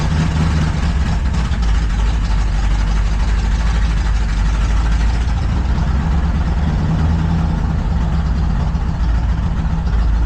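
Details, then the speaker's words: Deep, lumpy, stumbling idle on a truck engine after a new ignition coil was fitted, like one cylinder dropping out; owner suspects a misfire from a cylinder not firing or timing, cause not confirmed. "Sounds like the cylinder ain't firing or something. Something ain't firing, right?"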